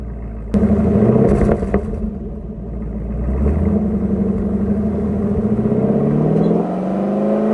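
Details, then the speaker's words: Car revving while switching exhaust modes, recorded from underneath: a loud squeaky chirp as the exhaust valve moves, from a dry, binding exhaust valve actuator; brakes were replaced first without effect, and the fix is greasing the actuator. "so I'm sure you guys can hear that chirping noise it's a lot louder in person than uh hearing it in the video like it's pretty loud"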